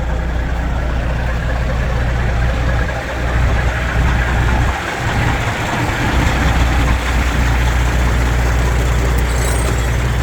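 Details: Semi truck diesel idling during a pre-purchase inspection while air pressure builds toward about 90 psi and the suspension fills. Deep, steady, even rumble with no knocks or misses: healthy idle.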